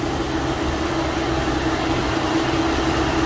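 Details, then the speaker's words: Infiniti G37/G35/Q40, engine idling, coolant level good and not overheating: steady whooshing airflow with faint hum, no cycling off; cooling fan runs nonstop, about 99.9% of the time, from a faulty engine cooling fan module, replaced afterward. "you hit it it's not normal coolant is good feels good here see here we're getting louder ac sliming on it's not overheating you still hear it"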